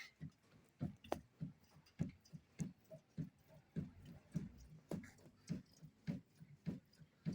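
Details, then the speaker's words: Renault Duster on a noise-finding shaker machine; steady rhythmic low thuds, about 100 a minute, from a worn stabilizer bar bushing, a noise others had blamed on the shock absorber or control arm bushing. "vendo aí galera a bucha da barra estabilizadora ó mais forte aí bota muda aumenta a velocidade da máquina Ó pula mesmo pessoal"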